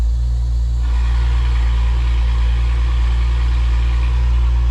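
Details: BMW E93 335i with N55 engine, started right after upgrading the low pressure fuel pump: deep, loud, steady idle with an even low rumble and no misses or rattles; engine running healthy.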